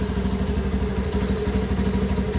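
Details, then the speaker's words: Honda Beat ESP injected scooter that kept stalling: with the relay circuit jumpered and the battery cable removed, the small single cylinder keeps idling with a quick, even putter, so the 5-pin relay is faulty. "berarti Pik riilnya yang bermasalah rilisnya bermasalah"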